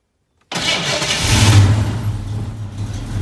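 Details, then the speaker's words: 1987 Ford Mustang SSP, sat a year and a half, new distributor cap and starter solenoid: engine catches with a rough burst, runs unevenly, sags and dies within seconds; starts then stalls, owner suspects out of fuel, later power cuts point to wiring. "how about that well started for a second hmm might be out of fuel at least it starts we know that much now"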